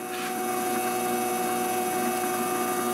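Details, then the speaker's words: MX-180V Chinese mini lathe after adjusting the suspect IR potentiometer: constant motor whine holding steady speed without the earlier surging at lowest setting; problem fixed. "I suspect it's this IR one that's giving me the problem so that's the one I'm gonna try first ah that worked amazingly well"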